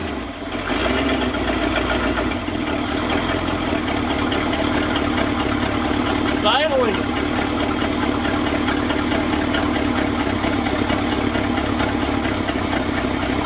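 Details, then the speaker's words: 1966 Ford F250 with 352 FE V8, parked since 1992, first run on a cold February day after carburetor rebuild and oil change; after a brief catch it settles into an even, steady idle; normal idle. "just like that day two of really trying to get this thing going i pretty much just idled right out of the gate"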